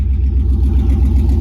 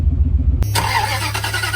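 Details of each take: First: Chevy 3500 truck after replacing the fuel pump; it ran rough before: starts with no hesitation and idles with a deep, even rumble, no stumbles or surging, running smoothly. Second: Chevy 3500 truck: cranks and catches, then idles roughly with irregular pulses and a wavering beat; rough running, failing fuel pump suspected, fuel gauge stuck reading full, tank to be dropped.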